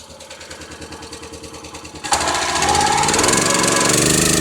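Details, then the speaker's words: Kohler small engine on log splitter, reportedly seized from moisture, now running on gasoline: soft putter to steady even firing with no knocking, driving hydraulic pump properly; healthy running. "Oh, the engine sounds healthy. It's not knocking. It's not acting stupid. It's running. It's running right."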